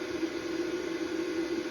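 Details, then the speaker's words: Failed 4-year-old Renogy 3000 W inverter/charger: cooling fan now runs all the time; steady airy rush with constant hum near 350 Hz, no let-up; owner suspects a faulty thermocouple or thermostat makes it think it is running hot. "but the fan runs all the time now. So I think there's a thermocouple or something in there, or some kind of thermostat, or I don't know, whatever turns that fan on. This thing thinking it's running hot all the time."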